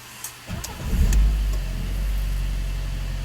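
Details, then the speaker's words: Fiat 500 first start after timing belt replacement; starter cranks briefly, catches cleanly into a steady even idle, no knocks or misses; normal start. "pretty good sounds good started up no problem"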